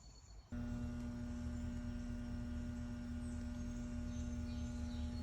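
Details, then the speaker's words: Outdoor central AC unit in 90-degree heat, fan not spinning and compressor not starting: faint hum then a short loud electrical buzz burst as it tries to start; breaker, thermostat and lines checked fine. "hopefully you could hear the faint humming sound coming from the unit as well as the short loud burst hum that the unit generated when it was trying to start up"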